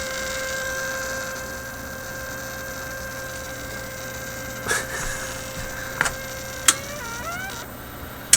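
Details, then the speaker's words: 1967 Heathkit project kit AM transmitter on single-wire power supply: steady buzzing hum with clear tone and overtones, a few clicks; noise persists with circuit disconnected, so the supply itself is putting out the hum. "okay so my supply is simply putting out this noise here duh okay the whole time we've been listening to my virus"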